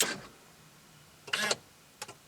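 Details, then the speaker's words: C5 Corvette column lock actuator tested with a Tech2. A short whirring buzz, then quick clicks as it locks the wheel when the key is pulled and actuates at key on; normal operation. "and you heard the actuator work and now it says ignition off locked and the wheel is now locked key on actuator Works key out you hear that activity and now we're back in business"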